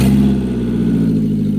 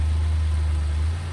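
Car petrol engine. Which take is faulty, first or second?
first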